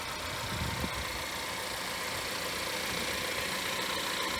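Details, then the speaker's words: Wrecked 2017 Cadillac ATS turbo, recorded outside at the front: smooth, even idle under a lot of hiss, no knocks or misses; engine runs nice and smooth, coolant present. "engine runs nice and smooth and we see our coolant right there"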